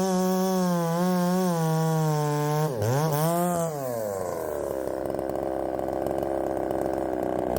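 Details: Ported Poulan 3750 chainsaw, after the loose exhaust was retightened, tune unchanged: a high idle sags, flares and wanders, then drops into a rough burbling run. The idle won't settle and richening seems to load it up.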